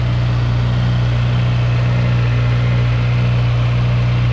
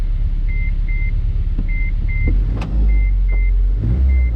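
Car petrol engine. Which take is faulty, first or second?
second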